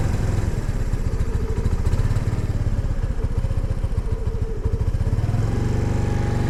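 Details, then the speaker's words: 2022 Honda NAVI carbureted single, kickstarted at about 28°F after three minutes on full choke: a steady fast idle with an even putter once set to half choke; cold start running on half choke. "nope still not quite happy nope doesn't like that let's go half choke there we go"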